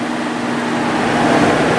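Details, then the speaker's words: 1995 Sharp 10,500 BTU air conditioner after fan motor bearing replacement and oiling: a smooth, steady whoosh of air with no scraping, ticking or wobble; the fan motor now runs quietly. "good yeah that's nice and quiet now"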